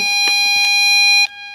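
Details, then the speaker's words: Harsh, buzzy square-wave-like tone full of edgy overtones, cutting off after about a second, from an LM386N 0.5 W audio amp (max 12 V) at maximum 200x gain; excessive amplification clips sine waves into square waves. "so when you say this you can surely see that the amplification is far too high that means that sine waves are changed into square waves and that's happening here"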